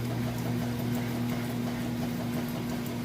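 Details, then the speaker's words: Whirlpool washer agitating with a load: low, steady hum with soft, even back-and-forth churn, no knocks or grinding; normal washer agitation. "So you can hear it agitating there. And that agitator essentially sucks those clothes down."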